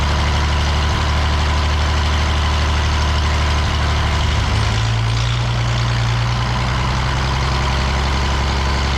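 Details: The Rockabilly Rat, an old truck engine, catches after getting spark to the plug and adjusting timing, then settles into a steady low rumble, slightly uneven but running on its own.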